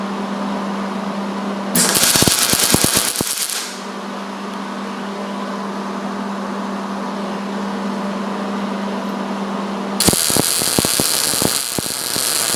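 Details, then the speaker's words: MIG weld on thick metal with the heat cranked up and the wire speed slowly tuned until it sounds right: bursts of steady, even crackling sizzle like frying bacon, with a low hum between passes. The weld is properly tuned, with a stable puddle and good heat. "Since this is a thick piece of metal, we'll just crank the heat and then we'll just slowly tune the wire speed until we get to something that sounds proper and burns in nice."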